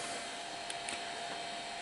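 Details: Amiga 2000 power supply after cleaning, with replaced fan being tested: steady, even airy whoosh and faint constant hum, no rattle or scraping; normal fan running.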